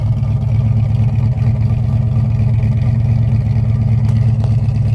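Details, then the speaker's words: 1966 Chevrolet Chevelle SS 396 V8 big-block, five-speed manual, after extensive cooling, electrical, engine and exhaust work: deep, steady, even idle burble with no knocks or stumbles, a healthy normal idle. "just tons and tons of work that we had to do on it i mean listen to how nice this car idles"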